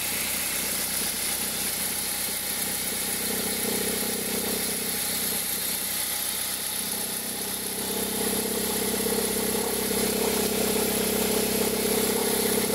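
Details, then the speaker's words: 2003 Toyota Corolla at cold idle, with noise only when the engine is cold that stops once it is warm: a hoarse whirring tone swells louder partway through, including when reverse is engaged. A stethoscope located it at the accessory belt area. Accessory belt tensioner noise. "A gente colocou, quando a gente colocou, a gente percebeu que o barulho ficava muito forte na região aqui da correia de acessórios, porque o barulho um barulho que incomodava, né?"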